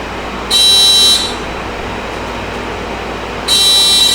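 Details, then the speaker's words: 1983 Suzuki GS450A automatic motorcycle, reportedly with firing problems, and carbs rebuilt by the previous owner: with the original key switch hooked into the harness and the key off, two shrill steady buzzing bursts sound, likely the horn; wiring suspected backwards. "I'm going to hook the original switch turn the key off, something's humming. Is that the horn?"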